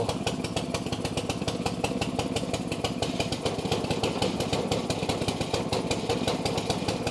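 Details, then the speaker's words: Snow blower with auger engaged: small engine running hard, fast uneven clatter and slap near three per second; belt seemingly about to be thrown, suspected tied to a bearing. "That thing is absolutely going to throw that belt. It's absolutely going to throw it."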